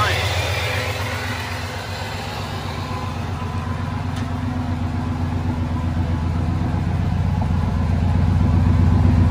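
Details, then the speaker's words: 2003 Ford F-150 Harley-Davidson edition V8 idling after an SCT BA2600 MAF install and ECM tune: steady, even low rumble with a regular beat and no misses. No check-engine light. The owner notes an exhaust leak. "no check engine light everything is good everything is copasetic across the board"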